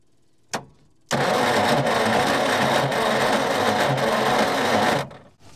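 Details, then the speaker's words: Old petrol Bedford tip truck, roughly early 60s–mid 70s, sitting 10+ years, 7-volt coil ballast setup; sluggish uneven cranking about three turns a second, never firing, battery dragged down; plans a tow start. "And so we'll give her a snig around the paddock, and that'll spin over a lot quicker than the starter."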